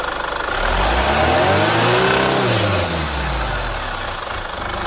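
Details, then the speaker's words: Chevrolet Captiva FL diesel with weak pull, smoke on acceleration, hard cold start, revved: rough growl rising and fading with rpm; turbo growl, turbo hose leak and stuck actuator found, fixed with cleaning, turbo hose and injector seal replacement. "yang kedua ada suara ngorok di turbonya"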